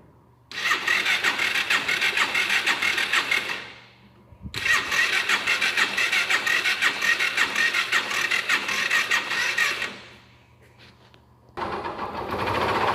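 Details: 2010 Factor 125 farm-use motorcycle, electric start, at idle: starter whirs, then a fast, sharp ticking knock of about three per second rides over the idle; engine knocking noise, owner suspects a connecting rod knock, to be checked by teardown.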